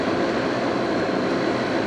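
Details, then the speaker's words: 2002 GE AJCS10ACAM1 9,900 BTU 115 V air conditioner with two separate fan motors, unused about 10 years, cooling in a garage near 90°F: steady airflow rush with a faint constant tone as fan speed is switched, both fans normal. "It's two separate fan motors. I turn the fan between speeds and the fan in back is still running, but there's no airflow. You would hear it. And if I just flip it, now you can hear the airflow."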